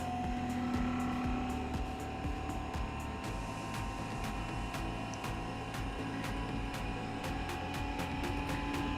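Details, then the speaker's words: Eberspacher heater on a test bench, fed correct voltage after a wrong-voltage fault: fan hum rising while the fuel pump ticks about four times a second, but burner never lights; likely a ventilation cycle before a restart; failure to start. "well we can hear the fan spinning up but why is on the pump working i think you're just trying to do do it cycle of ventilating before start starting again"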